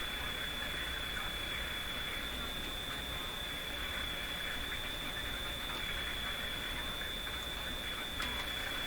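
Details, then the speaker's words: Philco Model 24T five-tube radio during alignment: a thin, high warbling whistle over hiss and static from the speaker; interference picked up from nearby computer screens. "Any question about where the interference is coming from? Right from my computer screens in here."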